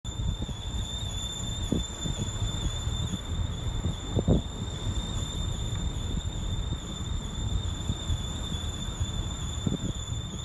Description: My Vauxhall Astra J 1.4T is making weird noise not sure what it is, going to go to the garage to find out but was wondering if anyone knew what it could be.